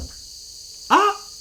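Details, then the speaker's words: Returned Snowpeak M25 PCP air rifle: thin steady high hiss of pressurised air escaping, an air leak; to be repaired by replacing transfer port seals. "bah c'est une fuite bon ben non ça sera pas une vidéo de présentation ça va être une vidéo de recherche de fuite"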